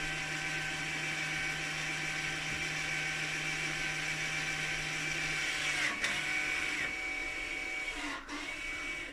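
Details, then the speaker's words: Mercedes-Benz with electronic parking brake, ignition in position one, after rear pad replacement; steady high electric whine for several seconds then stops cleanly; normal actuator returning to normal position. "so now we've replaced the parking brakes and which is gonna return the the actuator to the normal position so we're just gonna press the okay and you can hear the whining noise again"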